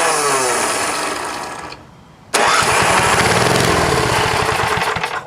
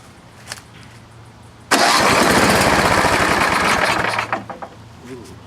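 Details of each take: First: Vintage snowblower engine, fuel tank not connected, run on gas poured into the plug hole: catches and roars briefly, fades, fires again and runs rough before cutting out; carburetor bowl full of crud, float stuck, fuel starvation. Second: Craftsman 826 vintage snowblower, 8hp single-cylinder, reportedly run recently, gas down the cylinder, electric start: starter whirs briefly, engine catches with a quick even beat then shuts off — normal clean start.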